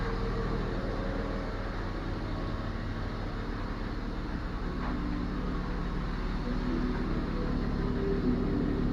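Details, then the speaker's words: BMW E34 after replacing a clogged, loudly humming fuel pump that had caused power loss at 5500 rpm: engine runs steady and even, with the pump now completely silent; running normally. "Он не гудит. Тишина абсолютная. Ты слышишь? Что там делать? Все работает нормально вроде."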